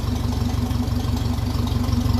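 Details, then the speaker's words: 1957 Ferguson 35 TVO tractor idling after the leaking exhaust sleeve was tapped down to seal: a steady, muffled, low thudding idle with a quick even beat and no exhaust chuffing or hiss. It sounds different through the exhaust now. "and it is it sounds a bit different through the exhaust now as well with that leak"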